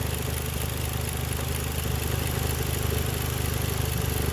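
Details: Toyota JZX110, warmed up and idling hot at just over 500 rpm: slow, lazy, low-pitched pulsing, idle sitting too low. Disconnecting the VVT-i solenoid made no change; rotating the throttle position sensor slightly corrected the revs with no missing.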